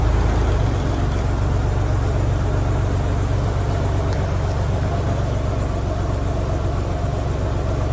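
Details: 1987 Ford Bronco II, revived after sitting abandoned 15 years following a fuel-pump change, restarted after a week in a shop at about minus 15 outside: steady, even low rumble, smooth unchanging idle, no knocks or misses; healthy idle.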